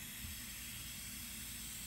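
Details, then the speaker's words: Diverter valve on a bench test with shop air at 10 psi, adjustment screwed fully tight: constant sharp airy hiss with no rhythm as air leaks badly past the valve; diverter valve air leak. "Only 10 psi of pressure, and we got a very bad leak. You can hear it leaking out through here."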